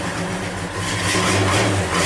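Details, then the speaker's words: Cold start of a 1963 Chevy 1-ton flatbed truck with no choke after sitting overnight at about 48°F, throttle feathered to keep it running; lumpy, wavering rough idle, engine not happy until heat builds. "No choke, so you gotta feather the throttle a little bit. That's pretty damn good for sitting overnight. You can hear she's not happy."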